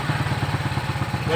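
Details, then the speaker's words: Shogun 125 motorcycle after tightening a loose part that had caused a heavy rattle like a rod knock: quick, even low putts at about nine a second with no ticking or knock. Normal idle. "kecepatan rendah. Sekarang sudah tidak terdengar suara ketukan lagi."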